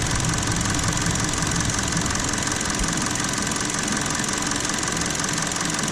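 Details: Petrol idle with an uneven, stumbling beat and occasional dropped firing, an intermittent misfire found with a GTC505 scope via primary coil current ramp and secondary ignition waveforms; cause: excessive spark plug gap.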